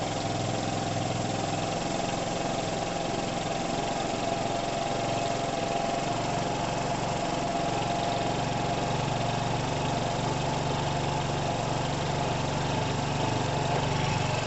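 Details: 2012 Piaggio Fly 125 scooter, fuel not stale, oil clean and at level: small single-cylinder engine ticks over evenly throughout with steady pitch and no knocks, misses or rattles; healthy normal idle.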